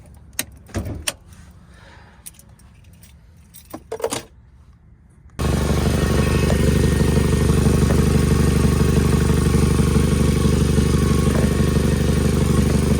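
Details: Nissan (Sentra/2017 Altima SV) engine bay: rattling start, then steady idle with a fast even ticking puff about three per second; cracked exhaust manifold, common issue, fixed by replacing the manifold.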